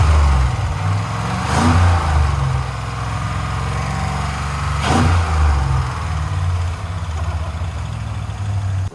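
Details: 1968 Ford Bronco with 5.3 LS swap, first start, oil pressure 37: light fast clicking over rough idle and rev blip, rising with engine speed; four bad lifters, since replaced; possible exhaust leak noted.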